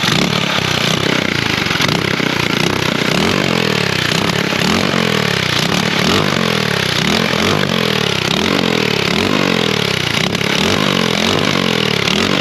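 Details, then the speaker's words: LO206 race engine fitted to a mini bike revs loud and ragged, surging and stumbling, while fuel pours out of the carburetor after the stuck float and slide were freed; owner unsure of the cause. "now there's fuel just like pouring out of the carburetor uh and i don't really know why"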